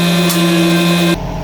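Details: BMW M44 petrol saloon with exhaust hanging off, new back box needed: deep coarse tractor-like diesel drone with throaty rasp instead of smooth petrol hum; exhaust blow.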